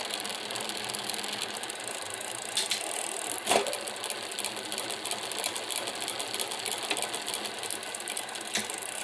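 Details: Tern Verge P20 bicycle after cleaning, with a dense, fast metallic chatter and a few louder clacks riding steadily over the pedalling: derailleur rattle.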